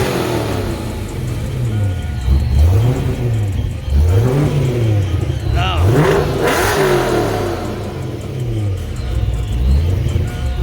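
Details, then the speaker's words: 1988 supercharged Saleen Fox-body Mustang, coolant near 160 degrees after vacuum leak, EGR spacer, rocker and intake work: clean blips rise and fall smoothly over steady idle, no misses or knocks; revs freely and fairly smooth, though running rich. "so it should be somewhat safe to get a little Rev on it not bad fairly smooth"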